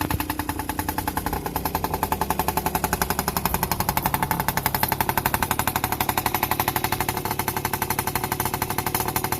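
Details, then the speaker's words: Yamaha PW50 two-stroke, sat 5 years, back on cleaned OEM carburetor and throttle cable, new spark plug, tank cleaned: starts easily, crisp even idle with steady rapid popping beat, no hunting, no longer smoky. "now put a new spark plug in clean the tank out give it all the clean up so just go a start up and you have a listen starts way easier now got a nice"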